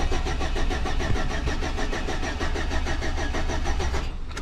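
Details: 2006 Chevy Silverado with distributor, crank no start with no spark despite replaced distributor and cap: steady fast starter churn, about four pulses a second, never firing.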